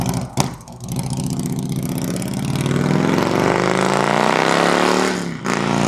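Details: 2003 Harley-Davidson Road King 100th Anniversary with new headers, fishtail exhaust, Andrews 26A cam and ThunderMax on pass-bys: deep, even V-twin rumble swells in pitch and volume, clean pulls, no knocks; healthy engine.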